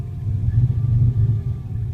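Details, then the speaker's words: 1986 Ford Ranger 2.9 in cold weather: a deep low rumble surging and dipping about twice a second at idle, with the pumps whining and the lights pulsing. The lumpy, rough idle has no confirmed cause. "And it's gotten all really lumpy with the"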